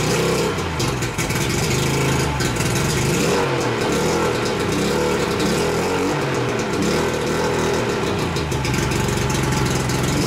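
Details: 1988 Mercury 70 hp three-cylinder two-stroke outboard, first start in years with choke: a steady, buzzy run with a few throttle blips, firing evenly with no knock or misfire; it runs fine, though gas later leaks from the middle carburetor.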